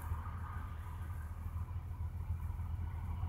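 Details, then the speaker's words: GM 3800 Series II after a crank-no-start, no-spark fault was fixed by cleaning the grounds: low, steady idle rumble with an even beat and no stumbles or misses; running smoothly and healthy. "I don't know if you guys heard that but it sounds just like a like a healthy car"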